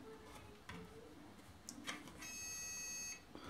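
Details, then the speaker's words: Automatic infrared soap dispenser on 4 AAA batteries: a few soft clicks, then a high beep of about a second with no pump sound; it beeps without dispensing, weak, likely used batteries suspected. "Ну, видимо, да, батарейки слабоваты."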